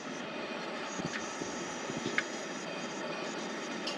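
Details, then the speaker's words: Pressurized camp-stove burner, lit and running for about a minute before the lever is turned down. Steady even rushing hiss that stabilizes, with the odd faint click. Normal, proper burner operation. "that's what you want to hear and so you do that for roughly a minute and you'll hear that hissing kind of get stabilized"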